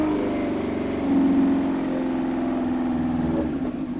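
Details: Yamaha R1, carbureted, off road about 5 years, running on starting fluid: catches and runs briefly at wavering uneven speed, never settling; owner suspects ignition issue, possibly tired coils or leads; carbs leaking and need rebuild. Rough running.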